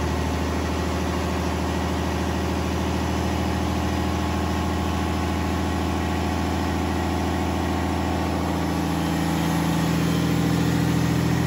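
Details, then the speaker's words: FPT Cursor 16 1000 marine diesel, inline six 15.9 L common rail, 1000 HP rated at 2300 rpm, first run in Australia, idling about 600 rpm then revved: deep, even rumble with steady firing, no knocks or rattles; very quiet for 16 litres, healthy engine. "they're a very quiet engine for a 16 litre motor right i'll give it a rev so you can have a listen he's running the life is at 600 rpm with the curse 16."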